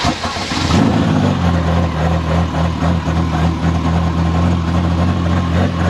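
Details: US-model Ferrari Testarossa (Ratarossa), repair in a field, after refitting the alternator belt: catches after short crank, steady even idle hum, no squeal or slap; battery light goes out, belt bouncing, to be tightened.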